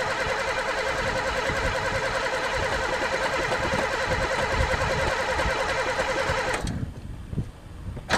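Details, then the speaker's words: Pontiac unstarted for 3 years, gas dumped in the carb: starter churns steadily at about three and a half beats a second, never catches, then stops. Cranks, no start; owner suspects no spark, and possibly chewed wires, broken fuel lines or a stuck throttle. "don't tell me this one's got no spark too there even gas dumped in it"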